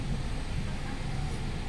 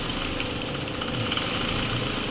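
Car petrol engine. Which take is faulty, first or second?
second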